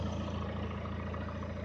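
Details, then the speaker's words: 1998 Mitsubishi Eclipse GS 2.0 L non-turbo, freshly rebuilt engine at its first start for break-in: a low, steady, even idle with no knocks or ticks; running smoothly. "yeah you hear that sound the engine my 98 Mish Bishi Clips 2.0 L 428 block engine GS model non turbo is up cranking running gu the engine is finally running"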